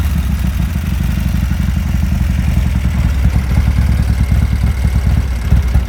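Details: 1987 Harley-Davidson FXRP (EK, ex-CHP) with Andrews EV27 cam, 15K miles on rebuild: cold idle on choke, a loud, lumpy, steady low thump with no knocks or grinding.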